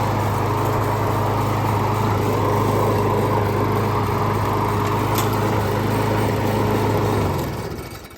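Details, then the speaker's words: John Deere JS28 self-propelled mower after drive belt replacement with factory belt GX23501, steady even engine pitch then clean wind-down, no belt slip squeal; front wheels drive normally. "It works as it should. Wheels spin nice."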